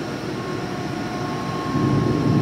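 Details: Used 2005 Boge 40 HP variable-speed-drive compressor, 480 V, 79,131 run hours, 1,909 loaded hours, at max rpm building pressure (holds around 105), about 68–70 dBA: steady dense airy roar with faint constant tone, swelling slightly; normal full-speed running.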